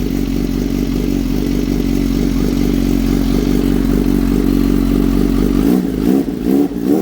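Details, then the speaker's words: Kawasaki Z H2 with a newly installed Brock's Performance Penta carbon black full exhaust, morning cold start: deep, steady, loud idle with an even lumpy exhaust pulse and a few throttle blips near the end. Normal. "So I'm gonna let you guys hear it on a cold start this morning, and then we shall end our video. We'll have other videos where we show it out on a ride. Okay. It is mean. Video does not do it justice."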